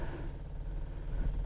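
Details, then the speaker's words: Classic Mini with twin carburettors, electric fuel pump in the back heard from inside the car; steady low even hum, no surging or clatter; normal electric fuel pump running. "The noise you can hear is a pump, electric pump in the back."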